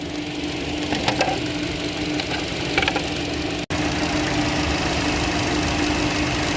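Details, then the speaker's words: 2015 Chevy Cruze 1.4T, 68,000 miles, after replacing the valve cover/gasket with PCV valve to cure hissing, bucking and code P1101: even, steady idle with a constant low hum, no air hissing or bucking; normal idle. "no more air hissing"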